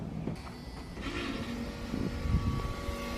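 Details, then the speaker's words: 1986 Chevrolet C30 dually, driver-side rear door power window: window goes partway down, then motor only clicks over a low hum; suspected faulty window motor, owner suspects a stripped gear, possibly the regulator. "it goes about this far down and then the motor just clicks so I don't know if there's like a gear stripped on the motor or something like that"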